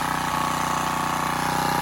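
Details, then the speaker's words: Generac CW15K gas water pump, small single-cylinder engine after an over-long throttle rod was found: runs steady and even with no knocks or misses; oil likely low. "I'm gonna just let this run for a bit."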